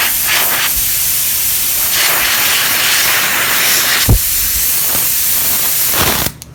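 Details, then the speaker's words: Cheap cast-aluminum air blow gun on compressor: steady loud hiss of escaping air stopping abruptly when supply is cut; leak from a crack around the back of the body (later traced also to the fitting). "I mean you can hear a little bit but not really that much but then the other day I noticed it was you could really hear it"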